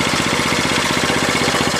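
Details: 1967 Honda CL90 single still warming up, slight miss; quick even putter roughly fifteen beats a second with no rattle; brake stay no longer making noise; normal running.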